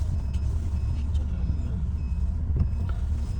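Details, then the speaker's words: Chevrolet Tracker 2/Onix just converted to propane with Alex Optima NANO system, driving on gas after computer setup: smooth, even low hum with no stumbles, misses, surging or switching back to petrol; normal running on LPG. "Mashina hozir gazda. Benzindan dog'lasa farqi yo'q. Mazgamlar joyida."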